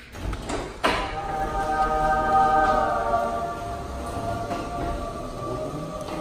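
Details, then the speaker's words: Garage door running quietly after lubricating dry rollers, spring, cable drum and moving parts: start-up clunk, then even motor hum with no squeaks or grinding. "I sprayed some there and then in the back of this roller basically anything that moves I sprayed let's see what this sounds like"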